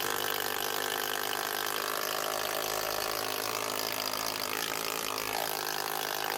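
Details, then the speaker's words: Dewalt DCH253 brushed cordless SDS drill, customer says it shuts down from time to time (suspected brush or lead problem): loud, fast, even hammering rattle over a steady motor buzz; normal hammer action. "Hammer's definitely working anyway. She's loud enough."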